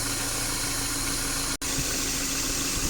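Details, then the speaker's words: Subaru at 68,000 km, after repairing a leaking evaporator, draining and refilling compressor oil and recharging refrigerant: even, steady rush of air with a low hum inside the cabin, no rattles or squeals; blower fan strong and normal. "ภายในก็ลมแรงนะคะประกอบอะไรเรียบร้อยเดี๋ยวส่งงานลูกค้าได้นะคะ"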